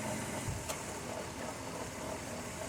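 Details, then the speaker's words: 2002 minivan after adding refrigerant oil with an injector tool, having rattled from lack of oil: steady hiss and even whir with no rattle; normal AC compressor operation. "Sounded normal."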